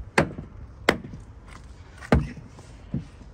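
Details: 2017 Mercedes GLC door: sharp hollow clicks as open door moves, caused by loose 7 mm nut on bottom door hinge; tightening it fixed the clicking.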